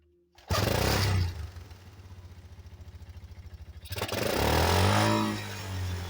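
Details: 1985 Yamaha Moto 4 on its old carburetor, started with choke and a little fuel: catches, then idles with lumpy, uneven popping and stumbles and wavers when blipped, trying to cut out; old carburetor blamed, to be replaced.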